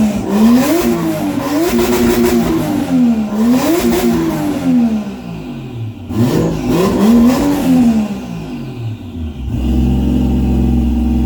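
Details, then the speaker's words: Toyota 1JZ swapped Nova with open downpipe: loud exhaust revved repeatedly, each blip hitting the same ceiling near 5500 rpm and falling back; fuel cut, cause undetermined. "you might have been able to tell there is like a 5500 RPM limiter there some sort of fuel cut it's pretty common it can be caused by a couple different things"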